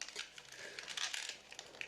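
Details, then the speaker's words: SteelSeries Siberia V2 USB over-ear headset flexed: dry crackling creaks from the headband and hinges; owner then tries silicone lubricant to stop it. "Но они хрустят, вот если слышите, у них хрустит все."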